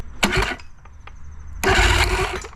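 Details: Old two-stroke outboard bought with electrical issues, after getting both ends wired up: two short, crisp starter bursts spin the motor cleanly. The electric start is working again.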